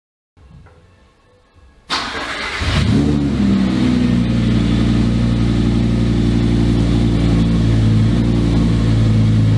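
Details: Volvo 244 race car with a mid-mounted V10 at first startup, before completion: the engine cranks, catches and holds a high, steady drone without dropping to idle. The owner suspects the gearbox or its electronics/adaptation; not confirmed.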